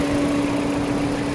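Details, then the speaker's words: Mini Cooper radiator cooling fan, engine idling, temperature sensor unplugged to force the fan on after a missing relay was fitted: steady even hum with no wavering or rattle; fan runs normally, missing relay was the fault. "And then you can hear that. You can hear and see that's running now."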